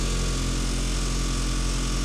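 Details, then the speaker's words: Ford van with 152,000 miles: a deep, steady droning rumble with a buzzy shake over the running engine, an excessive vibration. The owner suspects a motor mount, not confirmed. "so one of the main things that's wrong with this van besides the rust is you get a crazy vibration I want you guys to listen real quick"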